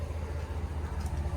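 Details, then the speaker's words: Dodge Ram 1500 after PCM replacement and dealer reprogramming to clear misfire and error codes; no warning lights, deep even idle rumble with no misses, running super smooth. "absolutely overjoyed and as you can probably hear we are running super smooth"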